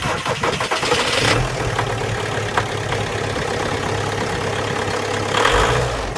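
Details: VW Passat 3C B6 2.0 TDI 125 kW diesel: brief knock just before it catches, then strongly shaky uneven idle with odd noises; rough running, cause unclear.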